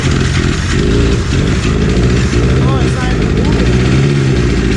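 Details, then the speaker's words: 1997 Ski-Doo Formula 500cc two-stroke snowmobile that sat 5+ years with the oil injection hooked up, after carb cleaning, new intake flanges and priming: a heavy, uneven burble that stumbles and surges; crankcase flooded with oil. "It sat with the oil injection hooked up for 5 fucking years. Of course it's gonna be flooded with oil."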